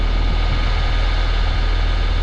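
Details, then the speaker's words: Trane XV heat pump during a fan test with the thermostat off: the condenser fan motor gives a constant thin whine over a low hum that is audible from the porches and echoes between houses. The motor is to be replaced. "see it shouldn't sound like that I don't know how well you can hear that but she said she can hear this thing when she's on the back porch on the front porch but that motor should not whine like"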